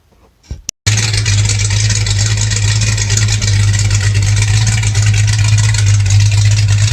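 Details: 1984 Mustang GT 5.0 V8 after installing a high-torque mini starter to fix starting trouble after short drives: short crank, lights off immediately into a strong, steady, even idle with no starter grind.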